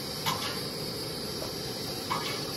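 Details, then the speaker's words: Primus 535 twin-burner kerosene stove, right burner finishing preheat: steady burner hiss broken by two sharp bursts about two seconds apart as kerosene vapor surges back through the unrestricted fuel line into the tank (vapor detonation); brass-mesh surge restrictor is the fix. "it's coming out of the right burner and as that burner finishes up its preheat it's actually having kerosene vapor shooting back into the tank as it bursts into a cloud of vapor"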